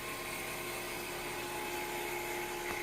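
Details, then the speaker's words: Harvest Right freeze dryer vacuum pump, after door adjustments: even, steady drone with a smooth high whir, no knocks or surging; pump running normally. "We can hear the pump running. This is where you check your oil level at."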